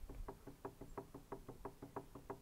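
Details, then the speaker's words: iOptron CEM120 telescope mount, declination axis with gears engaged rocked by hand: sharp dry knocks about five per second from too much play in gear mesh. Gear backlash knock. "but if I show you on the declination axis if I engage the gears you can hear this movement"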